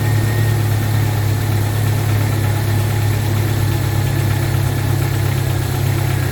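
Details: 1995 Jeep Wrangler YJ 2.5L four-cylinder after new fuel injectors installed, check engine light went off; low steady hum with even pulse, no misses or stumbles; normal idle.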